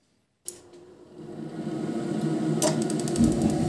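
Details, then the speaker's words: Ariston Uno 24 wall-mounted gas boiler after fan relay replacement: fan spins up, rising in pitch, with clicks from gas valve side; boiler restarts many times instead of lighting first time, fixed by resoldering control board parts. "As you saw, the boiler was restarted many times."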